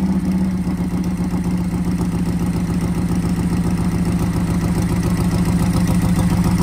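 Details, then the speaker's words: Harley-Davidson Sportster V-twin with a new Ultima ignition replacing the broken original: starts straight away, then an even, loping idle of about three and a half pulses a second with no misses. "Oh, straight away. No messing."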